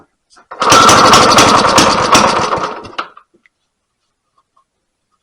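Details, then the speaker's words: Rare 1950 Briggs & Stratton NPR-4D single-cylinder: short burst of rough, uneven popping dying after two seconds; carburetor flooding everywhere, needs rebuilding. "oh she flooding all over the place now the carburetor needs be rebuilt"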